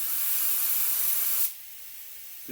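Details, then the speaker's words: Auarita K-400 LVLP gravity-feed spray gun, 1.4mm nozzle, set by ear with no gauge or regulator: even, strong airy hiss for about 1.5 seconds, then a clean cutoff, sounding right at about 30 psi. Correct air pressure. "I don't go by a pressure gauge, or I don't even put a regulator on it. I want to hear what it sounds like. Sound is the key."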